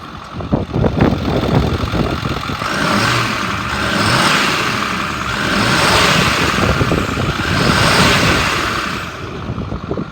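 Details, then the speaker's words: 2010 Ford F-550 XL utility truck, 6.4 L diesel, about 47,300 original miles, automatic, warm after running about an hour. Three smooth, even rev swells with no knock or rattle: normal revving of a healthy engine. "The motor sounds good, it revs up nice."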